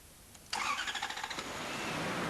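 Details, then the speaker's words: Toyota TCCS engine after replacing the loose terminal 2 in the ED1 connector (G signal) and clearing the diagnostic code: a short crank catches almost at once and settles into a steady, even run, and the check engine light goes off. "This time the engine starts smoothly and the check engine warning light goes off. So this was the cause of the malfunction."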